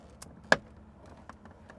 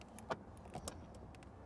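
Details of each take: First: Used Bronco inspection: driver's door worked gives sharp pops and clicks with metallic jingle, passenger side doesn't pop; not proof of accident but flags possible prior bodywork. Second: Pre-owned Ford Bronco door check: this door swings with only a few light clicks and a soft latch tap and no popping. The door on the other (driver's) side pops, which is a hint of possible past body work.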